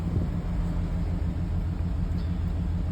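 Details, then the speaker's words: 2011 GMC Sierra 1500, 110,000 miles, with a junkyard V8 on first run and some parts unhooked: a steady idle with occasional unevenness and a flashing check engine light; the owner suspects a slight misfire, possibly from worn plugs, unconfirmed. "Yeah, it looks like it's got maybe a little bit of a misfire, but that could also be it."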